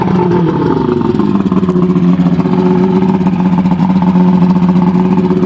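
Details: Evinrude Starflight 100hp V4 two-stroke outboard on mixed gas: loud raspy drone rising then settling to steady pitch off throttle, firing evenly without misses; runs healthy.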